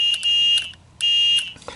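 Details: 1993 Club Car Precedent golf cart: shrill high-pitched beeps about half a second long with short gaps; reverse backup alarm working, triggered by a micro switch.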